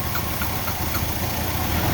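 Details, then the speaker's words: Ford Escape with check engine light P0405: petrol engine idles roughly and lumpily while the EGR valve is held open by vacuum pump; DPFE sensor shows no exhaust flow change, suspected faulty and replaced. "that's opening up the egr valve right now as i'm pumping this thing up that's why the motor's running like crap and that thing isn't really going"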